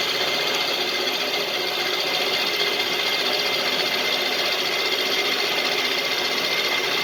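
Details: LeeJay 3-axis CNC mill with Anilam 3300MK control and AC variable-speed head drive, spindle at about 900 rpm taking a light circle-mill cut in mild steel: steady even high whir with light cutting hiss, no chatter or squeal; servo and spindle sound healthy.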